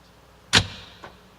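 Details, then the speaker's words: Hyundai car central door locks auto-locking at about 30 km/h for safety: one sharp clunk then a faint click half a second later, normal actuation. "시도하기 소리는 30키로 정도 진행할 때 어 안전을 위해서 자동으로 문을 닫아 주는 장치가 되겠습니다"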